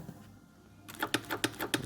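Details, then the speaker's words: Sewing machine at maximum stitch length, reverse lever jerking: sharp evenly spaced knocks about three a second, traced to the stitch regulation mechanism and misadjusted feed dog teeth hitting the throat plate at the front. "слышно стучит слышно стучит вся эта проблема тянется вот механизма регулировки всё это связано с зубчатой рейкой внизу"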